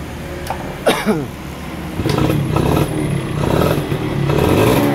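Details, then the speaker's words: Yamaha F1ZR 110 two-stroke, stock ignition, coil and carburetor, air filter rubber fitted: stutters and bogs on throttle, revs rising unevenly and never clearing; revs freely with the rubber removed. "tapi motor gak mau narik gas ngempos banget ya tapi kalau dibuka karet filter udaranya motor bisa digas enteng jadi kendalanya di mana"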